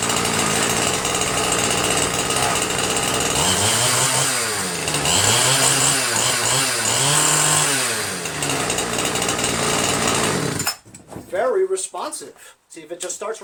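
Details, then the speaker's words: Ryobi 410r 31cc rototiller after rerouting its misrouted fuel lines: revs rise and fall crisply on throttle blips without bogging, then shuts off; normal running. "thanks to Ken's small engines and James condoned for telling me that I messed up the fuel lines as usual I do that quite often so this though works great now unbelievable huh"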